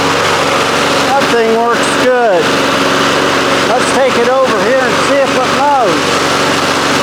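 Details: 1993 Toro Recycler II mower, Briggs engine, after fixing no-spark (bad ignition coils, damaged flywheel): steady, even single-cylinder drone with no misses or surging; running properly.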